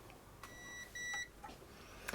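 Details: Amiga 500 Plus motherboard after battery-leak damage, multimeter continuity test tracing Gary chip pins to resistors: two short, clean high-pitched beeps as probes touch; trace conducts and is unbroken, Gary checks out.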